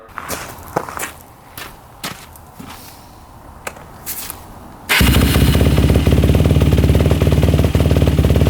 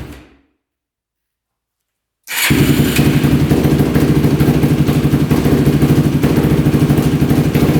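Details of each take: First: 2005 Yamaha YFZ450 race quad, modded, after carb work (earlier mid-body carburetor gasket problems), warm after about five minutes, yard test revving in first gear: strong, steady, even single-cylinder beat, revs out fully with no smoke or overheating; normal running. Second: Modded Yamaha YFZ450 race quad, freshly started on choke and electric start with fresh oil: single cylinder thumps unevenly at a fast idle, stumbling and struggling to hold idle. Owner suspects pilot circuit slightly rich; raising idle and turning in the fuel screw helped.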